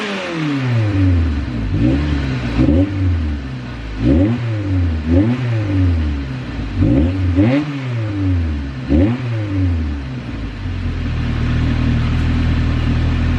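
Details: Right-hand-drive car after exhaust parts were installed as a temporary makeshift fix: a few rev blips, then a steady idle with a deep, even exhaust note and no ticking or puffing; the system sounds sealed.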